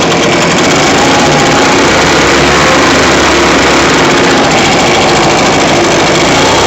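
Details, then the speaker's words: Echo PB580T backpack blower, fitted with another Echo model's throttle, a different carburetor and a new spark plug, run without air filter after choked start and warm-up: loud, even two-stroke buzz, no stumbling or surging. Normal running. "Okay. So, all the test runs came out good."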